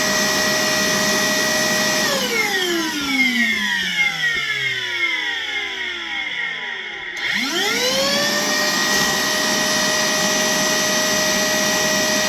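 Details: Worx WX031 brushless cordless 20V wet/dry vacuum during a water-capacity test: a steady high motor whine winds down to a stop, then spins cleanly back up to full speed. Normal wet pickup.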